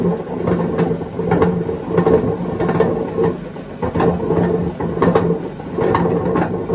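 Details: 2012 Beko WMD261 washing machine on spin and drain: rhythmic rumbling roar surging about twice a second with each drum turn over a steady hum; worn drum bearings.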